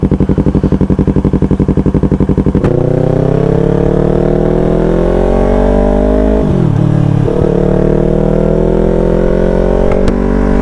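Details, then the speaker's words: Yamaha R3 with full-system exhaust after fitting an SRB resonator to cure excessive noise and backfire. Short steady pulsing, then smooth even run rising and easing with throttle; mellow, rounder note, nothing harsh or popping. "mga amigo mas gumanda yung tunog ng tambutso natin mga amigo mas bumilog siya"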